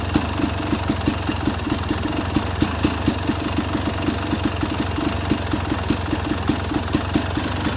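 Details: Two-stroke Yamaha YZ250X idling with extra pulser coil delay (retarded ignition timing): even popping beat with crisp ticks on each firing, a lazy burble typical of late timing.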